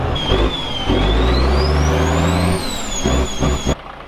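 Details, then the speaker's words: Caterpillar 1693 diesel in a 1977 Peterbilt 359 toterhome, fully warmed up and revved out: a deep roar climbs smoothly with a rising turbo whistle, then drops back cleanly. Normal running. "At this point, when this clip starts, the engine has ran for a while and is actually up to temperature, and when I start it up, I wrap it out, and I just wanted to make a point that the engine has been warmed up."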